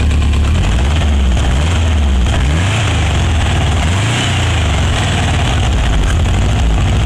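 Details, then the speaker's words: Renovated, cleaned Mexican VW Beetle (Vocho) with an air-cooled 1600 fuel-injected flat-four and external oil cooler, at low idle: a deep, even throb with a steady beat and no knocks or ticks, a healthy engine. "On va faire tourner un petit peu ce moteur, là on va entendre un petit peu le bruit qu'il fait."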